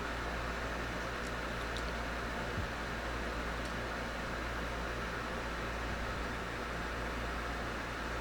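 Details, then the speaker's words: Pride DX-300 tube amplifier on standby after HV supply replaced with Nomad HV PCB and new caps, variac a bit over 110 V, 2400 V HV, pulling 95 W; smooth even blower rush with steady low hum, no flutter, all good. "I can hear the blower running. Over here we're pulling 95 watts, you know, in standby. So everything's good so far."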